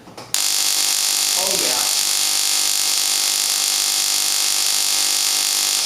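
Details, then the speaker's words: Hitachi R35 (Nissan GT-R) coil-on-plug coil replacing Mitsubishi Mirage coils, bench spark test at 6,000 rpm, 1.5 in gap, 4 ms dwell: fierce, even, high-pitched crackling sparks with no dropouts, strong consistent spark. "that is a lot of power for a for a coil on Plow That is a ton of power man wow"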